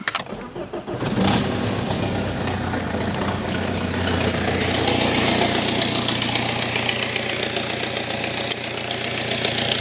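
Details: BMW with smoke coming from the engine bay: engine started and settling to idle with a raspy puffing hiss. This is a physical exhaust leak.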